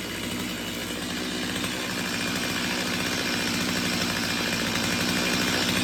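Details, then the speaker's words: Stihl MS250 two-stroke chainsaw test run just after a cold start on a cold morning, following carb tuning for a won't-restart-when-warm complaint: buzzes steadily and picks up smoothly without stumbling or misfiring; nothing looked out of the ordinary, running normally. "so nothing looked out of the ordinary I think we're good to go to give it a little more testing"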